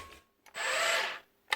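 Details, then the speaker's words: Makita DBN600 cordless nail gun from 2021, before repair: motor whirs about half a second then cuts out, no power to take the piston back, no firing stroke; micro switch or sensor suspected. "motor turns stops again so what's only starting up it's not doing anything she got no power not taking the Piston back she's not firing"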